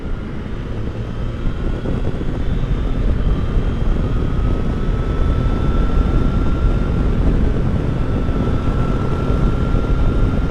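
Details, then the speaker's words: 2022 Triumph Tiger Sport 660 riding past 40 mph after the dealer loosened an over-tight chain following its 600-mile service: steady engine drone with wind noise; the earlier whine and footpeg vibration from about 37 mph are gone. "Yeah, everything seems to be back to normal again. I'm so happy that's all it was."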